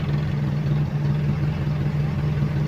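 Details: Toyota Kijang 7K carburettor engine with the customer's emission control module refitted during repair. It gives a low, smooth, even idle with no stumbles, but whether the module switches the carburettor solenoid on and off is not yet confirmed, so a bulb test follows.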